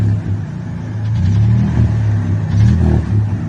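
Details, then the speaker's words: Ford 300 (4.9) inline six, fuel-injected block with frame-rail electric fuel pump, started cold: light, quick ticking rising with revs, not an exhaust leak, from the top end despite adjusted hydraulic lifters; cause unknown. "The tick's still there."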